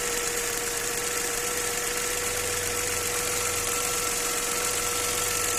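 A light, fairly regular tapping about two or three times a second over a steady idle points to a knock inside the engine.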